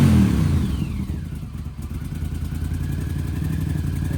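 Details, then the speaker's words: 1980s Honda CX500 Turbo motorcycle after repairs, idling unevenly with a ragged puffing chuff on each firing pulse, about three a second. An exhaust blow is suspected, unsure whether at the turbo or the exhaust. "hear an exhaust blow. I don't know if it's the turbo or the exhaust, but I can hear the blow."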